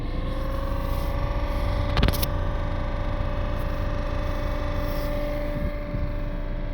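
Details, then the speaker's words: Citroën Berlingo / Peugeot Partner van heater blower motor on low setting; droning, wavering hum with mid-pitched whine that dips and swells, worsening over time; noisy blower motor, fixed by motor replacement. "so that's the noise I've been there you got to see it's dipping and changing sometimes it sounds all right and then it gets worse"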